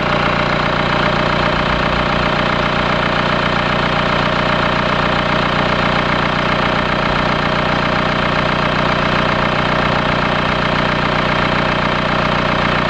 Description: Mercedes B200 2008 CDI Engine started making a metallic rattling sound.